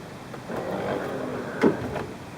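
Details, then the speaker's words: 1994 Corvette C4 headlight motor after replacing the worn, slipping plastic drive gear; smooth quiet whir for about a second, then one soft thunk as the lamp seats, with no grinding or motor running on; normal headlight motor operation. "Nice light. Sounds really strong. Um, everything's functioning perfectly. Goes up and goes down. No grinding, no uh excess motor running."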